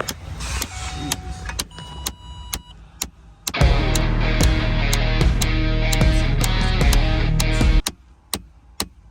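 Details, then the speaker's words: On a truck, with the engine idling, changing the A/C temperature setting makes sharp clicks behind the dashboard about four times a second: the temperature blend door actuator is knocking. "so basically to make sure it's the right one i'm going to turn it on and mess with the temperature and it's going to be knocking like a [ __ ] trying to kick out the dashboard"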